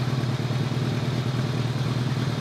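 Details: 2002 Kawasaki ZRX1200R with Keihin CVK carbs, after one carb's vacuum problem was plugged off: even, steady low drone with no hunting or misfire; runs much better, with synchronization still slightly light on one side.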